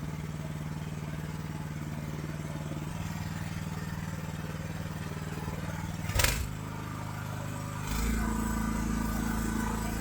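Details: AGT LH12R mini excavator with RATO engine, governor adjustment to lower idle: steady fast drone, then a clunk and the note shifts as it is throttled toward idle; high idle speed from governor setting.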